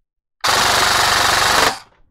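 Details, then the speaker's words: Airsoft AEG with T238 premium 33K RPM brushless motor on full auto: a crisp, even burst of just over a second at 23.6 rounds per second, without stutter. Gearbox and motor cycling healthy. "23.6 rounds a second. Not much higher than this guy. It's impressive."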